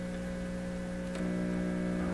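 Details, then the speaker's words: PYE 39HC shortwave broadcast receiver under test, with the signal generator grounded to a black chassis wire. A steady low drone has a buzzy edge and one click, then gets slightly louder. The mains hum is assumed to be introduced by the two-prong meters; not confirmed. "okay so it sounds like this black wire is just a chassis connection just as I thought so we'll assume the hum is being introduced by the meters over here"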